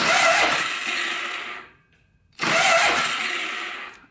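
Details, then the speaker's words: Polaris Sportsman 500 4x4 ATV with a low battery, cranked on a jumper. Two high whirring spins of about 1.5 s each with no cranking beats; the starter drive isn't engaging, and the owner suspects too much friction near the clutch cover. "but it's almost like the starter quits because it's got too much friction right here"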